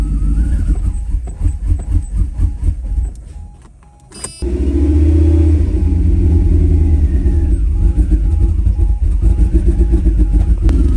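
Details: 1991 Mercedes-Benz R129 500SL V8, later in the day after cleaning distributor cap and rotor and changing cam sensor: about four seconds cranking, fires promptly, steady even idle, no misfire or throttle hesitation, as it idled before its hard-start/hot-stall problem; normal start and idle.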